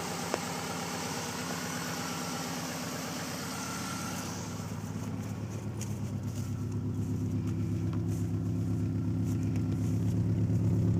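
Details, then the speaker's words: 1995 Subaru Legacy wagon, replacement motor about 87,000 miles (body 163,000), just started cold after sitting overnight: even, low exhaust rumble at idle, building slightly, no misses or knocks. Healthy engine. "you can hear the exhaust a little bit it may not be that good in the video but it's a very low Rumble"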